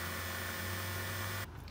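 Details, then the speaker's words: 2007 BMW 335i N54 electric coolant pump running with ignition on, engine off, during coolant fill and bleed, heater at max: steady low electric hum with a faint whine, normal operation. "you can hear it doing some things you see now we keep filling it you can hear the water pump humming away down below"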